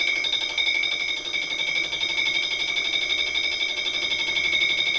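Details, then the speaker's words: Fly cutter skimming an engine block, roughing pass at 0.2 mm depth of cut, about 200 mm/min feed, about 710 RPM spindle: shrill steady ringing at two high pitches over a rattling cut, about four pulses a second; fly cutter chatter, rough finish. "pass and it was quite rough that was at 0.2 millimeters depth of Court running at about 200 millimeters a minute on the feed and it's about 710 RPM on the spindle speed um and yeah I could definitely tell obviously there's a bit of chatter"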